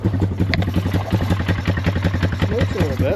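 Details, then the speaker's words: Polaris Scrambler 500 barn find, sat 10 years, running with no air filter: slow, lumpy single-cylinder putter at two to three beats per second near stalling; idle set too low, needs adjustment. "That's something cool. Idle is really low. So, we need to adjust the idle."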